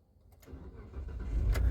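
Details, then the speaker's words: 2017 Mitsubishi Pajero, V6 petrol, automatic, after gear selector stuck-in-park and no-start fix: quick crank, then the engine catches into a smooth, even low rumble; starts and runs normally. "तो ये मैंने इसको start कर लिया है। अभी drive mode में डालते हैं और चलते हैं भाई लोग।"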